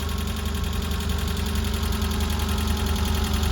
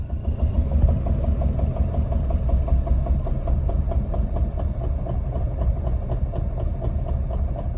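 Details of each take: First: Citroen AX 1.0 petrol engine idling after valve clearance adjustment (intake 0.2mm, exhaust 0.4mm): steady, low, even rumble, way quieter, no loud knocking or valve tapping. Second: Citroen AX 1.0 four-cylinder running out of fuel at full throttle, chugging with slow heavy thumps at roughly 50–100 rpm before stalling. Extremely low idle from fuel starvation.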